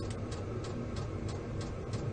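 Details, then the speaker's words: Vevor diesel heater starting up in a metal building at −12 °C outside: steady low burner roar with soft even fuel pump tick about three a second. Running normally. "You can also hear the fuel pump is running now. You can see it right there. So it is starting up. It kind of sounds like a jet engine."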